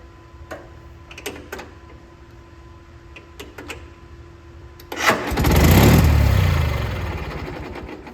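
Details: Gravely G-16 tractor, roughly late-80s/90s, not run in a few years, running on its own tank fuel: scattered clicks, then cranks, fires and settles into a steady run as revs ease; runs and drives pretty good, smokes a little.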